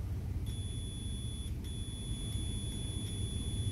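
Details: Clothes iron repair: after the blown fuse was replaced with a new fuse, the multimeter gives a steady high-pitched continuity beep for about three seconds with one brief dropout, so the fuse is good.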